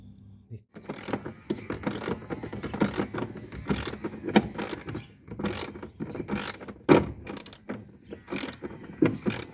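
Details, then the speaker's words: Fuji 6 kg top-load washer transmission after clutch gear spring refitted, cleaned and greased: crisp ratchet clicks and gear clatter as it turns both ways for wash and spin, operating normally. "Y ahí gira bien para los dos lados para que haga el el centrifugado, el lavado se lleva para los lados."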